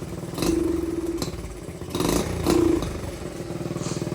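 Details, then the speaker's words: Dirt bike carb pilot/fuel screw set about a turn and a quarter out: idle sounds smooth and healthy, but quick throttle blips only half rise and fall back sluggishly, a rich-running bog with poor throttle response. "So in our case here, that's not good."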